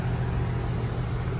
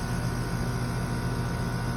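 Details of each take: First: Goodman AC condenser about three to four years old, not cooling: a steady low electrical hum from the motor because the run capacitor has failed; poor airflow is suspected of burning capacitors out faster. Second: AC unit about three or four years old, not cooling, suspected failed Chinese-made capacitor: steady, even low hum of the condenser compressor running with no clicks or stutter, its distinctive normal sound.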